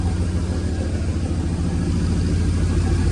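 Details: 1937 Nash coupe, 6.0 Vortec V8, just fitted 58 lb/hr EV6 injectors, idle raised to 700–800 rpm: rough, lumpy idle with an uneven beat and vibration. One cylinder bank is not firing and it runs rich.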